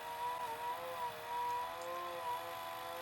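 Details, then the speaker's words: Pye VRD-300L VCR with a 1992 Daewoo chassis, near the leader tape: a wavering high whine that drifts in pitch as the worn capstan belt slips with heavy friction and the Sony motor strains; slipping drive belt. "Surprised it's not smoking by now. Must be quite a bit of friction of this thing slipping against the belt."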